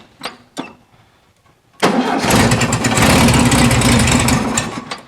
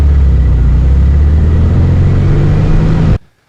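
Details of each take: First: 1974 VW Super Beetle convertible flat-four with dual carburetors, cold start: catches fast and runs a few seconds with an uneven, lumpy beat before shutting off; one carb sounds lagging, suspected out of sync. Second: 1974 VW Super Beetle convertible flat-four after idle raised on the weaker carburetor side during tuning: steady low throbbing idle with an even beat and no misses or rattles before it shuts off; runs smoothly.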